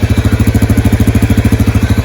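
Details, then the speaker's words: Yamaha Grizzly 550 ATV, warmed up: even, steady single-cylinder idle thump with no misses and no smoke, after an oil-soaked filter was suspected of causing the earlier smoke. "All right, she's running. I let her sit there and idle and warm up for a good bit. There was no smoke."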